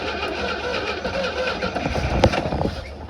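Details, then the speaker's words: 1960 Grumman Olson curbside van that sat in a field, with starter fluid sprayed into the vacuum port: the starter churns in bursts, then there is one sharp pop that dies at once. It is getting no fuel, and the carburetor needs sorting. "okay she's trying to run but it's just not gonna run well until we get a our carburetor issue resolved but i'm going to spray some more starter fluid down in this vacuum port and just see if we can hear it pop again"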